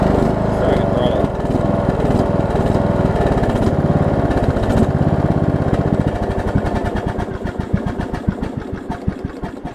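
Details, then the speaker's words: Troy-Bilt Bronco riding mower with a Briggs engine whose valves are out of adjustment, running with the blades engaged. A rough, gritty grind turns into a knock about three per second; a blade spindle bearing is suspected in the mower deck. "still got a blade turning down there one of the blade breaks sounds like - oh gosh I've built about to split it's so bad but hey it works"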